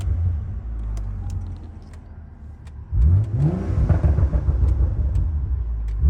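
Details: BMW M135i after full rebuild from a wrecked state: engine pulls cleanly from a low rumble into rising revs, pitch climbing smoothly with no knocks or misses; healthy, normal revving.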